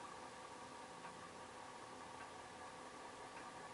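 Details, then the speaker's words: Commodore 4040 dual disk drive on a PET, during a D1-to-D0 disk backup: steady whirring hum with faint tick about every second as the head steps; the disk sounds a little noisy. "is spinning and the head is moving and it does sound like it's a little bit of a noisy disc in there"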